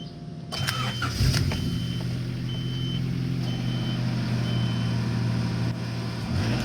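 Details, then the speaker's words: Honda CRX after broken muffler repair, resonator deleted, new pipe and clamps fitted: short crank then steady, even idle with a deep, sealed exhaust note, no rasp or leak; slight improvement over the broken muffler. "Alright, so there's a little bit of improvement with the muffler actually connected now, so that's good. I could deal with that."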